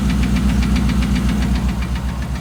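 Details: 2008 Dodge Ram 1500 5.7 Hemi V8 at idle: sharp regular knocking about six or seven times a second; five mechanics could not identify it and suggested a new engine.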